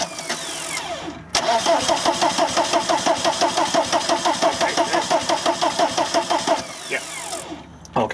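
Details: VW camper van with swapped TDI diesel engine and newly installed harness: even starter cranking at about three turns a second for five seconds, no firing; crank, no start after bleeding injector lines. Cause not confirmed.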